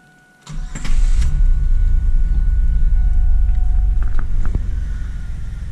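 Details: 2000 Chevrolet Camaro 3.8L V6 first start after engine reinstall, coolant still being bled: starter whirr, then steady even idle with no tick or miss audible yet; a tick on light throttle and decel noted later.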